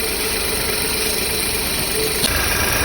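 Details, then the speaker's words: Engine at idle: slightly uneven, lumpy beat as one cylinder drops out; scanner flags combustion misfire in cylinder 3, fault stayed on cylinder 3 after swapping coils, spark plug suspected next. "olha aí ó de outro tá falhando um cilindro Passa meu scanner que ele nos indicou falha de combustão no cilindro 3"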